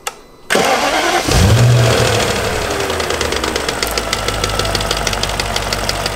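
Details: BMW E39 V8 right after start: fast fairly even clacking about three per second over idle, much louder than before, worse in a certain rpm band under throttle; Vanos suspected, not confirmed; engine clacking noise.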